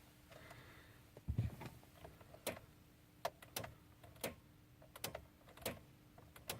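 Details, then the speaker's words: 2011 VW Jetta SE 2.5 no-start with a good battery and everything else working, starter already replaced twice and failing after a day: single sharp clicks about once a second, no cranking. Starter clicks, no crank. "2011 jetta SC 2.5 no starting just one click from the starter everything works"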